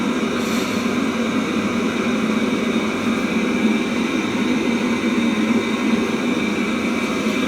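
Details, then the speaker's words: Webasto Thermo Top C coolant heater from a BMW E60 after repair; even, steady whirring roar with constant pitch, no surging or clicks, no smoke, no errors; burner and fan run normally. "everything works fine, you have to turn it on a few times to be sure that everything is OK"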